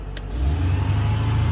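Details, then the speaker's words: 1987 boom truck, high/low engine speed switch flipped to high: engine picks up quickly from low idle to a steady faster even idle; owner suspects using high speed while retracting jacks peaked oil pressure and blew the earlier hydraulic failure. "he would always caution people not to use that switch right there. That's a high and low engine speed."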